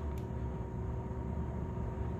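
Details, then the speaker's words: AC system at the outdoor condensing unit: even condenser fan rush over a steady, low compressor hum with a faint constant tone, no rattles or surging. System running normally. "you can see the condenser fan motor is running like here the compressor running so right now we just know this is what the system at how they would operate if everything was running and functioning properly"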